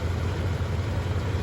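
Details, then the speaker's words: 1966 Chrysler Newport V8, rebuilt Stromberg WWC 2-barrel carb, new single-exhaust muffler, hood open: soft even low burble at warm idle, quiet and steady, no ticking or stumbling; normal idle, alternator making some weird noises. "I think that sounds pretty good. Come around to the front, pop the hood again. It's really quiet."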